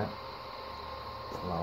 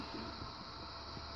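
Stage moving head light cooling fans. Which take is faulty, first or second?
first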